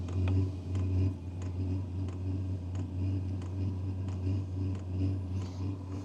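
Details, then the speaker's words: 2024 WIPPRO 8 kW diesel heater at startup, fan running while the glow plug heats. Soft regular ticking about one and a half per second over a low steady fan hum: the fuel pump priming normally. "so you can hear the prime the pump starting to Prime"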